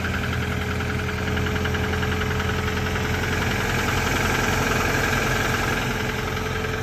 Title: Cold Start Rod Knock on Tacoma 4cyl 2TR-FE